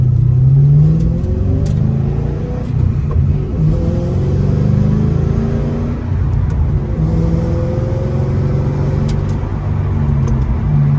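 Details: Ford Mustang GT 3V 4.6 V8 driving after a new engine, clutch, flywheel and headers install: a deep loud rumble rises and falls with the throttle, with no knocks or rattles. Normal running and the clutch feels smooth.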